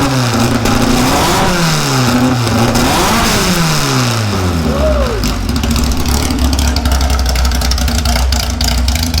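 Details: 1956 VW oval-window Beetle air-cooled flat-four catches and revs up and down freely, then settles to a steady, even idle; runs clean and healthy.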